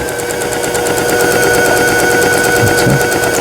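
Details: Brother PS53 sewing machine, sold about 20 years ago, after a full repair including a twisted lower shaft gear; quick, even stitching clatter about three stitches a second with a steady light hum, running smoothly.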